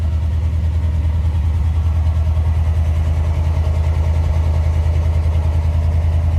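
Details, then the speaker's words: 1992 GMC Sierra 3500HD dually restoration truck idling after a new fuel pump, fresh gas and a disabled alarm system; low, even, steady rumble with no knocks, misses or surging: normal idle on its own power. "So, we now know it runs under its own power. Just needed a fuel pump and of course, you know, disabling the alarm system that was in it."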